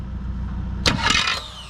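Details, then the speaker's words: Figure-8 derby car while cranking; steady cranking breaks into harsh metallic clash and whirring as the starter jumps out of the flex plate, starter suspected faulty internally: starter jumping out of engagement while cranking. "all right let's see the starters jumped all right shut the big red switch off"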